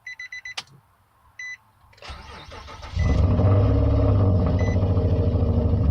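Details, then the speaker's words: Nissan Altima SE-R first start after replacing bank 1 camshaft position sensor for code P0340: chime beeps, brief crank, catches in about a second into a steady idle; later no bucking, rough idle blamed on a vacuum leak. "we're gonna go ahead and turn turn it on all I can say is hoping for the best and say that the problem I was having is fixed"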